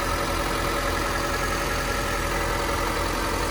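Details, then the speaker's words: 1998 Honda Civic Type-R, 133,000 km, likely factory components; steady even idle with no belt chirp, misses or hunting, no smoke, sounds like a stock engine; normal idle. "running engine sounds like a stock engine there's no weird belt sounds No idling issues"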